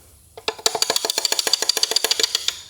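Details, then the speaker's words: Small Block Chevrolet engine during teardown, cylinder 1 connecting rod at top of travel rocked by hand: sharp metallic clacks about eight a second; rod knock from excessive rod bearing clearance, engine toast. "there is what we call Rod Knock so if you hear this sound your engine is toast"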